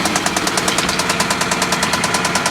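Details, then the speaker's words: Hyundai at idle with milky oil and coolant bubbling exhaust gas out of the radiator: fast even metallic ticking, about eight a second, over rough idle; top-end lifter ticking from coolant in oil, blown head gasket, not rod knock. "blown head gasket and that's why the engine's making that noise there we go close that up let's go shut her down it's not a rod knock sounds more like I mean it sounds kind of like a rod knock but it's not that's like a top end"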